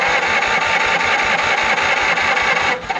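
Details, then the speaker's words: 1950 Ford Shoebox flathead V8, off the road 50 years, freed from stuck, compression test while cranking: lopsided rhythm with one pulse missing; cylinder 2 reads zero compression (cylinder 1 read 110), likely stuck valve suspected. "Nothing. So we got a dead hole in cylinder 2, we know that. All right, cylinder 2 is 0, muerte."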